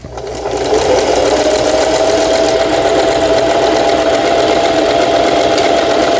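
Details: Singer 4432 sewing machine after repair (was noisy from new with parts knocking, overlock stitching failing): overlock stitch test, even rapid stitching about four stitches a second with steady motor hum; runs smoothly and sews properly.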